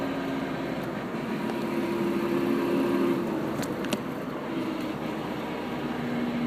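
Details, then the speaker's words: 1992 Toyota Pickup, in gear: on the throttle it is quiet, but lifting off the gas brings a rough gritty grind over road and engine noise, seemingly from the transmission; no grinding in neutral. Grinding on deceleration, cause unknown. "Foot on gas. And when I let off the gas, here's the grinding noise."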